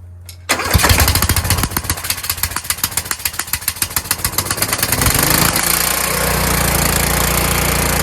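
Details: Kohler Courage engine on a tractor, winter, engine cover off, after swapping in the donor engine's carburetor whose choke springs back by itself: catches on choke, fires rapidly, then runs steadily with a faint hunting surge. Normal running with a slight surge.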